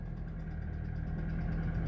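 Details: Vectra Expression after intermittent start-then-stall problem, fuel pump suspected; engine catches and settles into steady even low idle with no stumble, running normally.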